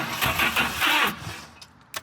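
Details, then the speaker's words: Truck bought far from home, no exhaust (open turbo): about a second of strong, even cranking with good compression that fades without firing; turns over but won't start, spark doubted, cause unconfirmed. "Whoa. That's some compression, dude. Yeah. Oh my gosh. This is a great deal. This thing turns over."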